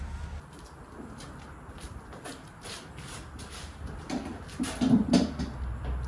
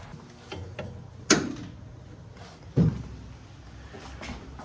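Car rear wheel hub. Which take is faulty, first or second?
first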